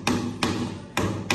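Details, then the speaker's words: Reinstalled tiles tapped with PVC pipe one day after reinstallation to check for voids: four sharp crisp taps with a firm dead ring, no drummy rattle; solid sound, tiles fully bedded. "Ayan, solid yung tunog. Yan, ayos. Yan, okay na."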